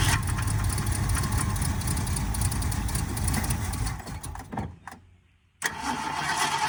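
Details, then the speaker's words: 1979 Ford Fairmont two-door police car, now fed from its tank holding five gallons of fresh fuel and started from the key: steady cranking at about four beats a second that never fires; they suspect fuel isn't pumping yet. "I don't think we're pumping yet"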